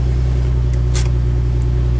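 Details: 2004 Nissan 350Z 6-speed manual (CD002) idling with a steady low droning hum and faint constant tone; worn throwout bearing whose inner ring broke out and pushed against the sleeve; clutch sticks, car stalls in gear.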